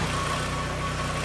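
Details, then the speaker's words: Barn-find Audi S3 parked 9 years, running on new fuel with engine light on: steady even idle, smooth low beat, earlier tapping gone (owner suspected oil pressure not yet reaching tappets), faint hint of unevenness; runs far better than earlier struggle; normal idle. "That starts and runs 10 times better. Really struggling earlier."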